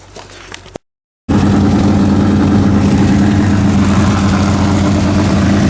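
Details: Freshly rebuilt 406 small-block V8, new pushrods, primed, running 15-minute break-in at about 5 minutes in: loud, deep, even drone at steady fast idle, no knocks or ticks; healthy, may need a bigger carburetor.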